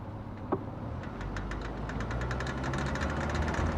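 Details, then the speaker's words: GMC Terrain, engine running while turning: loose run of clicks building to three or four a second; noise when turning persists after CV axles (flechas) were reportedly replaced; source not pinned down. "Bueno vamos con el siguiente diagnóstico mi carro hace un ruido raro cuando doblo me dijeron que era la flecha"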